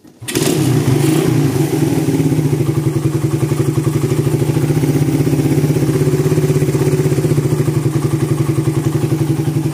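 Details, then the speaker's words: Suzuki Satria FU FL 2014 with a bore-up, hot after repair. Starts at once and settles into an even beat with no popping or stumbling: main jet is correct, clean at snap throttle and at low revs, carburettor jetting fine. "main jetnya. Tak rasakan juga udah pas dia dispontan enak dilangsam enak dia enggak mbet juga enggak nembak-nembak."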